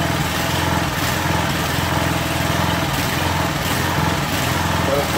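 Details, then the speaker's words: Craftsman 2700 PSI pressure washer with Briggs & Stratton Professional Series 275cc OHV: an uneven putter stumbling about every second. It is running rough and the owner says it shouldn't run this bad. "right [Music] uh because it shouldn't run this bad so if there really is a problem with it we will steal that other motor and this will be some kind of a backup of parts machine"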